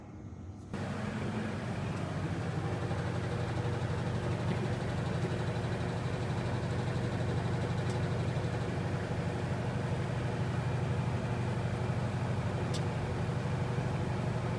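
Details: 1967 Rolls-Royce Silver Shadow started with the owner under the car, hunting a transmission fluid leak: a steady, deep, even idle with a soft regular pulse and no knocks or rattles. The leak drips down and is not too bad.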